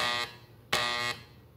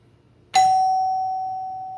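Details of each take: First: so mine was making a buzzing sound so when you hit the door better like let me see if I can show you guys what it's doing Second: Doorbell chime after the repair, button pressed: a single clear chime strike rings and decays smoothly with no buzzing, working normally.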